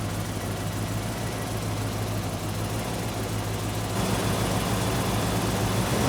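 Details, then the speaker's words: 1972 Mercedes 300SEL 4.5 V8, 75,000 miles, sat 12 years, freshly started cold after fuel system replacement: uneven, stumbling idle with hollow drone, misfire; owner suspects dirty distributor trigger points and old gummed spark plugs. "we do have an issue with a little bit of a mess and I can almost guarantee you if I get into that distributor II clean those trigger points this engines gonna screw that we probably have old and gummed up spark plugs as well"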